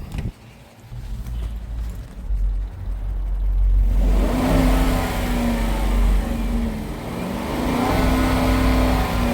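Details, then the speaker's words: Dodge Durango 5.7 Hemi V8 auction car revved: light ticking that doesn't get louder or faster with revs, so lifter seems less likely; owner suspects exhaust leak, possibly noisy injectors, not confirmed. "When you rev it, the um the tick don't get louder. So, normally if it's um a lifter, when you rev it, the tick gets louder and faster."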